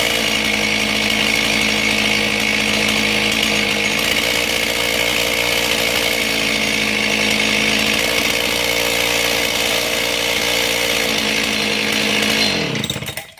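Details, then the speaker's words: John Deere 625 two-stroke chainsaw with the fuel-pump pulse hose unhooked to mimic an air leak: idle runs high and erratic, rpm hunting up and down and chain starting to turn, typical of a vacuum/air leak. "See how that sounds different, how it changes, how the RPMs pick up and the chain starts turning. Good indication when you get a saw in like this and it's kind of running erratic at an idle that you possibly have a vacuum leak, air leak."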